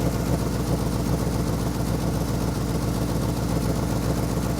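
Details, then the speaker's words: Ford F100 390 FE V8, tired engine due for rebuild, idle mixture screws reset to 1.5 turns: loping, off-rhythm idle at three to four beats a second; owner thinks it fires on six maybe seven cylinders; misfire. "we'll do a burnout firing on I think six maybe seven cylinders"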